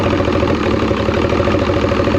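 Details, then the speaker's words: 2006 Evinrude 90 E-TEC two-stroke outboard, 15 psi fuel pressure after correcting reversed aftermarket pump wiring, old fuel; uneven lumpy idle that hunts and stumbles without settling. Compression good, so low fuel pressure blamed. "Now, we got 15 PSI. It's definitely better. Maybe it won't stay running. Eventually it'll come."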